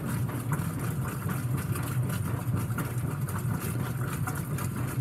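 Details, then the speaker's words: Whirlpool WTW5300SQ0 top-load washer after a new timer was fitted, on the quick wash cycle: soft low rumble with a gentle rhythmic churn, very quiet with nothing harsh or knocking, normal agitation. "but this is quick wash right here it's pretty dang quiet"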